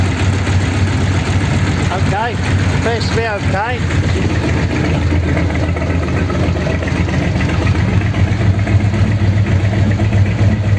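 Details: 1932 Ford sedan petrol engine idling after a fix for a problem on the way home, with roughly a litre refilled, started to check for leaks: low, steady, even burble with no stumbles; healthy idle.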